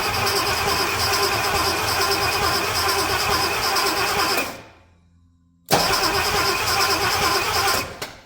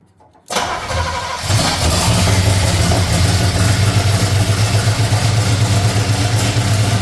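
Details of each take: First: Chevrolet C30 truck engine, cranked on the starter before spark check: steady churn about three beats a second, slightly labored and uneven; owner thinks it sounds tight in the top end, maybe just carb noise. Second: C30 truck engine fitted with ignition parts taken from another truck, run on carburetor bowls filled by hand; cranks and catches within a second, then settles into a steady, even low idle with no misses or knocks.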